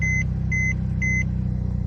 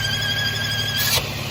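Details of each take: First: Mercedes M276 (2011-2015 E350/C350/ML350/GLK350) after replacing failed external PCV valve housing (part a276 010 03 31), next day after 30-minute test drive, check engine light gone; chimes then smooth even hum, whine gone; normal running. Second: Warm 2011-2015 Mercedes M276 V6, which went into limp mode: a steady, high-pitched, multi-tone whine over a smooth idle that disappears when the oil cap is removed; this points to a failed PCV valve or diaphragm in the external housing.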